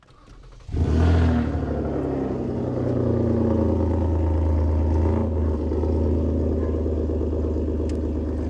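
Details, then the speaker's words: 2015 Ford Taurus Limited on a replacement engine after a timing failure destroyed the original: cold start with the engine not fully cold but not warm; it catches quickly, flares briefly, then settles to a steady, even idle with no knocks; normal. "Um here, let me give you guys another cold start."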